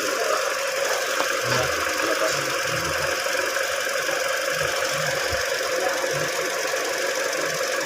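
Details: Mini Cooper after no-start fix: steady, even idle hum with no clear knocks or misses; petrol engine idling normally.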